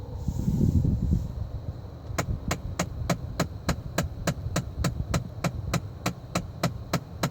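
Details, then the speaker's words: 2014 Ford Fiesta, ignition on and brake not pressed: steady sharp clicking behind the dash, three to four clicks a second, over a low hum. It is triggered by switching the floor airflow button off. Blend door actuator suspected, not confirmed. "you heard that this is bland door actuator motor basically what it controls it controls the mixture of the air from the outside to the inside"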